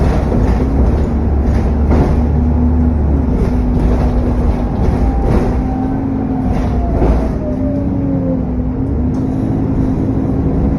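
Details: SN61 DDE E210: diesel drone with constant cooling fan roar and a thin turbo whistle that drops in pitch as revs ease off.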